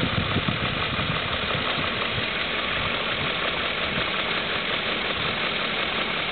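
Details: 2002 BMW M5 at idle: a light, fast ticking taps along under the engine hum, a top-end tick whose cause has not been pinned down.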